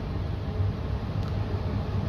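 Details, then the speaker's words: Furnace in a basement emitting a deep, steady, loud rumble as if labouring; it makes a light flicker, then seems to shake itself free after a while; cause unknown. "You know what? I might just stay here for a little bit cuz it seems like it's struggling. I can hear it struggling a little."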